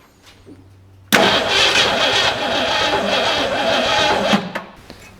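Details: 1962 Mercury abandoned 30 years, first start on original spark plugs after a new solenoid: cranks, catches suddenly, runs rough and loud about three seconds, then dies; fires on primed fuel but won't keep running.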